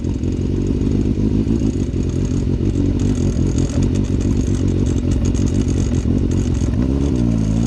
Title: Rattling sound I'm trying to diagnose